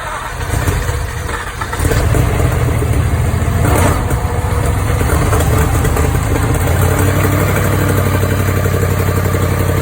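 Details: Jaguar XF 5.0 supercharged engine, first start-up after rebuild, second attempt after fitting the fuel pump fuse: catches and settles into a lumpy, fast cold idle with a faint puffing tick; exhaust leak.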